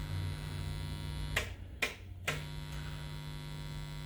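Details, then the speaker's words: 1981 Sansui FR-D25 turntable with hardwired RCA cables and its ground wire connected: pressing the amp's phono button gives a steady low mains hum with buzzy overtones and a few switching clicks through the speakers. A ground loop is suspected, possibly the amp. "There seems to be some sort of ground loop going on."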